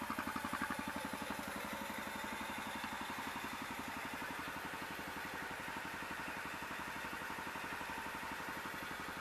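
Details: 2006 Can-Am/Bombardier DS250 ATV, first start in 10 years with new battery and fresh gas plus varnish cleaner, air filter off: quick even putter at steady idle with light mechanical clatter, no misses; normal idle.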